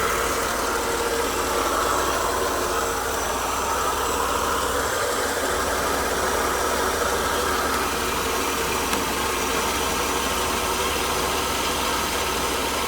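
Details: 1992 Mercedes W124 300 with hard-starting complaint, warmed up to temperature, running rich so duty cycle being adjusted; even, steady idle under a fair bit of hiss, no knock or stumble; warm engine idling normally.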